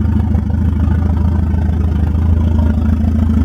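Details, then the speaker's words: Volvo 940 turbo drift car with open downpipe, first start in about a month before frame straightening: steady low idle, smooth even beat, no knock, miss or tick; runs like a dream, normal idle. "this is the first time the car started up in about I don't know a month now let's see how the old 940 runs oh like a dream no problems"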